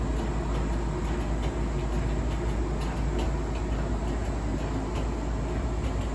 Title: Faulty already??? Clicking scraping noise and intermittent squeaky noise!??